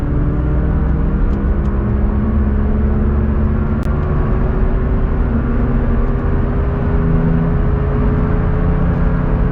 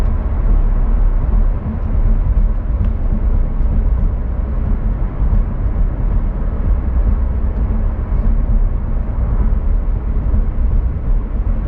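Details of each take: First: Rear wheel bearing noise while driving, before and after replacement: steady low droning rumble with a humming tone from the worn bearing, compared with the new one; worn wheel bearing. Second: Rear wheel bearing after replacement: steady low road rumble at speed with no growl or hum rising and falling with speed, compared against the noisy bearing before replacement; normal wheel bearing road noise.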